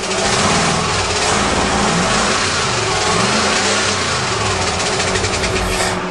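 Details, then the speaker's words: 1935 Mercedes, stored 7 years, with points-and-condenser ignition, just started: a loud, uneven, lumpy idle with smoke. It seems to run on only four or five cylinders (misfire); owner wonders about spark plugs, cause unconfirmed. "it won't idle yet not running on all the cylinders that's all gas it sounds like it's only running on about four or five cylinders"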